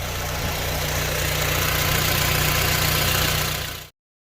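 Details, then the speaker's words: Honda Civic Type R FN2 with a new Piper sports cat and 4-1 manifold, after a drive: steady, even, deeper and much louder idle with no knocks or misses. Owner is not fully convinced there are no leaks because the old manifold gasket was reused. Normal idle. "she runs good as gold she runs pretty nice and strong sounds good she's a bit louder now it's a lot louder"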